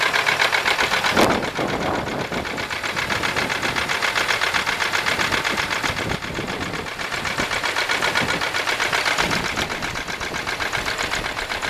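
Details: 1995 Buick LeSabre 3.8 V6 at idle with a steady, even ticking knock about four per second, also heard at the tailpipe, seemingly from the left side; owner suspects valvetrain, not confirmed.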